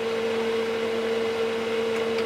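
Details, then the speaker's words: Keithley 228A 4-quadrant voltage/current source, powered on with 10 V output working: constant mid-pitched whirring hum, no variation; cooling fan is a bit noisy, louder than it should be. "Fan's a bit noisy though. It doesn't need a big fan, this thing, it's not surprising."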